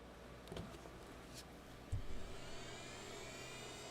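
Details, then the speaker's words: Replacement-parts hard drive, untested, in a rebuilt first PC: soft click then faint whine rising steadily as platters spin up; normal, healthy-sounding drive spin-up. "it's spinning that sounded good"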